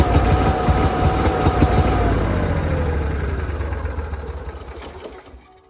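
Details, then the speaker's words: Onan Marquis Gold 5500 generator in a 2001 Fleetwood Bounder runs only about 30 seconds, then its drone sputters, sags and dies; stalling, with a strong gasoline smell and moisture dripping from the exhaust afterwards. "what's happening is it only runs for about 30 seconds then it sputters and outright quits"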